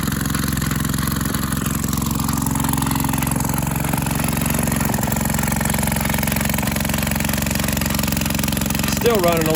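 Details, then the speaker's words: Maytag 72 twin-cylinder engine driving a power hacksaw after changing from 4-inch to 5-inch pulley: steady busy beat, clearly fast; saw cranks too quickly, RPM to be lowered via the speed adjustment plug. "so I might be able to slow the old mayag down a little more cuz that old saw is cranking pretty fast"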